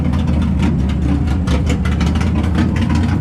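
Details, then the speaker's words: Subaru with an auto-tune running, making small fuel-map changes after a no-start; it finally idles with a loud, lumpy, uneven chugging like a massive cam, with raspy puffs. Rough idle, not running its best yet. "It's not running the best yet, but right now I kind of got it on its auto-tune thing, so it's kind of going through and making small changes to the fuel map."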